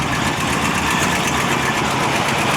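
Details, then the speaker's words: 1955 Ford Fairlane Victoria V8 with long mufflers, back running after being off the road since 1992: steady idle with a faint light tick over the exhaust note; owner suspects a lifter tick, not confirmed. "sounds like bit of a lifter tick maybe I don't know how long it's been since this thing's been ran"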